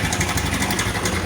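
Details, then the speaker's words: Honda Revo motorcycle at idle, complaint of rough engine noise: fast light ticking like a sewing machine over a steady idle that disappears when revved; cam chain rattle, oil level within standard. "suara mesinnya kasar ini Lur kayak mesin jahit lo"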